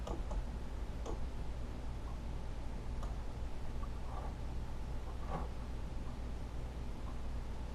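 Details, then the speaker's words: Marshall Lead 12 amp cutting out, test signal injected at input after resoldering ground connections: steady tone breaks up with irregular crackles and pops. Loose solder joint cutting the signal. "that's not good uh-huh there's a there's another problem right there this thing's coming soldered"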